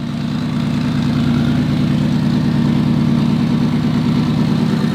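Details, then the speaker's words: Subaru WRX STI starting after two years off the road, following valve cover gasket and oil pressure regulator leak repairs, steam coming off. Smooth, steady idle with an even low burble and no ticks, knocks or misses; healthy, though a check engine light returned. "so far we're looking good i'm gonna let it idle for a little bit longer but dude that sounds so freaking good"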